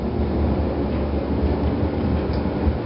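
Smooth, even low hum from the motor with no squeal or chirp on top; washer running normally.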